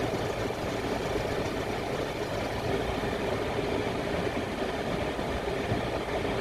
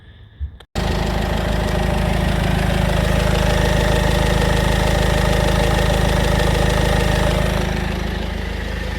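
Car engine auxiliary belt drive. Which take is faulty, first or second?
first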